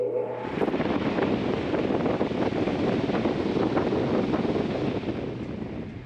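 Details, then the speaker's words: Replacement attic fan motor (Home Depot PBM 105, 120 V) test-spun on an extension cord before installing, checking blades don't hit; spins up quickly to even whoosh with light regular flutter, no knocking or scraping: normal running. "just wanted to make sure it spins without hitting anything which it look like it will"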